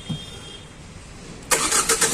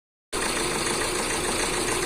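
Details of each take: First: Tata Nexon engine starts after the head was opened and the timing belt refitted (it had been misfiring with no pickup and white smoke), catching with a few quick bursts and settling into a steady, even idle. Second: Tata Nexon: rough, uneven, lumpy idle, a bad engine misfire with no pickup after it was push-started; the head must be opened.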